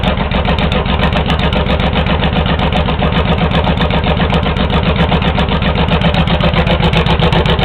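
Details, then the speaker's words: Honda VTX1800 V-twin with 3-inch long exhaust, pair valve blocked with a plug: lumpy loping beat of about four pulses a second settling to idle, with much less deceleration popping and no backfire. "Uh there's Big decrease in the diesel popping"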